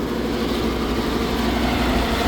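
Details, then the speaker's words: Trane rooftop unit at a restaurant that stopped working, motor rated 13.4 A run while watching for a drive fault: steady, coarse, rough droning rumble with no clean hum; motor going bad, likely condenser fan motor. "yeah that's a problem that sounds like junk I'm waiting to see if it's going to show a drive fault let's see what kind of false it shows we definitely got a motor going back"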